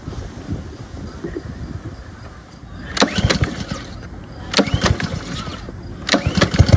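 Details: Ryobi pressure washer with Honda engine, used once then left sitting with old gas: after draining the fuel and spraying starting fluid into the air intake, several pulls cough and catch briefly, then the engine fires and runs steadily.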